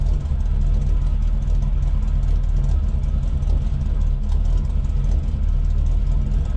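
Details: 1979 GMC Vandura idling after a new straight-through muffler and tailpipe replaced the blown muffler and broken tailpipe: deep, steady, even rumble with no leaks or rattles, a normal exhaust note.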